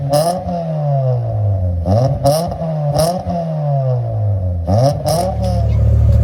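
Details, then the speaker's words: 1993 Mitsubishi Lancer MR MIVEC, first start in over 15 years, run off a van's battery: catches on the first key turn and revs cleanly, pitch rising and falling smoothly with no knocks or rattles; sounds healthy. "first click of the key don't even have a battery so I have it connected to my van here but as you can hear this running sounds beautiful"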